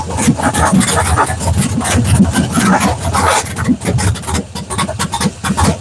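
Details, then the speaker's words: 6.0 V8 swapped in place of a 5.3, first fire: rough, uneven metallic clatter and scraping over a lumpy run as the flex plate and torque converter are not yet bolted together. "all right that noise you heard was the was the uh spray spray spray yeah was the the flex plate and the Fly and the torque converter they're not bolted up so they sit here and do this while one is running so that's why you heard that's what you heard"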